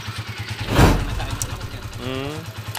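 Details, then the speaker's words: Honda TMX155 single after overhaul with original connecting rod, original-brand BCB timing gear, two bearings, cam follower and pushrod: steady even putter at idle, no bottom-end knock or tapping, strong smooth running; normal idle. "Okay na napakaganda ng andar Oh ayos tigasin yung andar"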